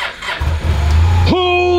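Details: Crashed Honda Silver Wing 600 CVT scooter, stored over a year: brief crank, catches straight away and settles into a steady even idle; normal engine start.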